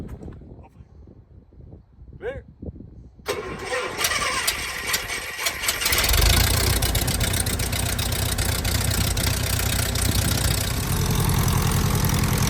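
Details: Starduster biplane engine after reassembly with the pump showing no leaks: quiet, then the engine catches and settles into a steady even idle with regular firing pulses, running healthy.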